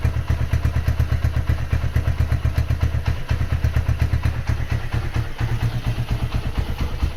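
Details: Honda GL100 upgraded to 160cc (Megapro) with new NPP carburetor, new intake and cables: even low thumping idle about two beats a second, no clatter or knock; healthy engine, light thin exhaust note lacking typical GL sound.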